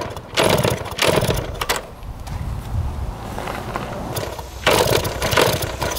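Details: 1971 Yamaha JT1 mini enduro two-stroke, stored about 30 years, with spark, fuel and 133 psi compression confirmed: short cranking and coughing bursts that briefly catch and die, hard starting because the exhaust was clogged with mouse droppings or poison.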